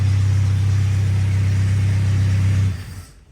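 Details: Old car running off its own fuel system, timing not yet set, some vacuum-leaking hoses found: a deep, steady low rumble at even idle with no stumbles or misses, then shut off. Normal idle.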